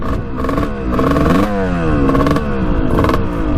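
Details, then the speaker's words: 1989 Kawasaki KX125 two-stroke after power valve replacement: surging, blubbering rough running under throttle; owner suspects carburetor, revved out more as fuel ran low with tap off; float height change didn't help. "something's going on with the carburetor huh i don't know sounds like crap though what the heck i can't figure this bike out"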